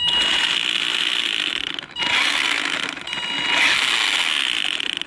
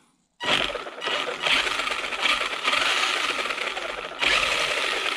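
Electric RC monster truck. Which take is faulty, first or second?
first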